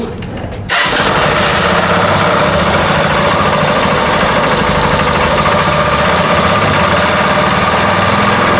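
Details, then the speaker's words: Honda Cargo 150 motorcycle with an engine noise: it fires and settles into a fast idle with a rough dragging rasp like something rotating is rubbing; misfitted oil pump drive gear scraping the clutch gear. "que no se pongan atención en el ruido que hace es un ruido como que está arrastrando algo que gira"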